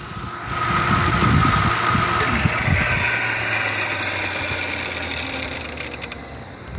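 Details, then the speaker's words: Ford Crown Victoria Police Interceptor (P71) V8 at engine shutdown: runs then winds down with rough rattling and whirring as it stops; odd shutdown noise attributed to the alternator. "but I'm going to turn it off and you guys are going to notice the specific sound that it makes when it turns off so you can see it's not always when you turn it on but as well when you turn it off"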